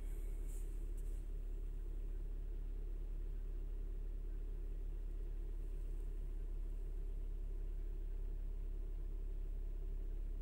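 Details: Chrysler/Dodge/Jeep with code P2173 (vacuum leak, high airflow) high idle when cold: low steady idle hum, no surge, holding about 750 rpm as it reaches temperature.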